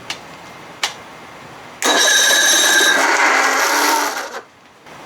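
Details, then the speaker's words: 55 hp Evinrude outboard with a replacement new-old-stock starter, cranked on a starter button with manual choke and no controls hooked up; loud whirring, grinding crank about two and a half seconds, noisier than the old starter, cause not confirmed. "why is this freaking starter making this noise man that's not cool jesus this is uh it's worse than the the old one"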